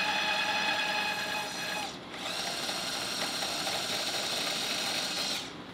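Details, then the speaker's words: Electric tapping arm cutting two 1/4-20 threaded holes through 3/8-inch steel plate with oil, set to 150 rpm in and 250 rpm out: even high-pitched motor whine, briefly dropping out as the spindle reverses, no chatter or strain; tapping normally. "just like that I got two quarter 20 tapped holes through a 3 8 inch thick steel plate in seconds I mean come on super easy"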